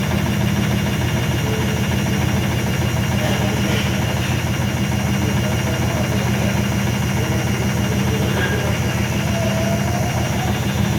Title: IFB WASHING MACHINE MAKING VERY LOUD NOISE WHILE SPIN CYCLE